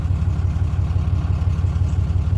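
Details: 2012 Ram 2500 6.7 Cummins diesel just after alternator replacement: steady even low idle rumble with no knocks, ticks or whine; runs smoothly, voltage back up to about 15 V from about 10 V.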